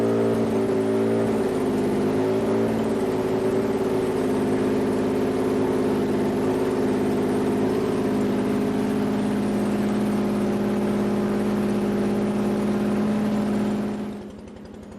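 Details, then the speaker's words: Toyota 2GR-FE V6 swapped into an SW20 MR2, warmed from 68°C coolant to operating temperature, O2 sensor ports still open: steady, even idle with no stumble, then shutoff; earlier misfire gone once warm. "right so we're for Less up to temperature our miss is gone so all right well miss fire is gone"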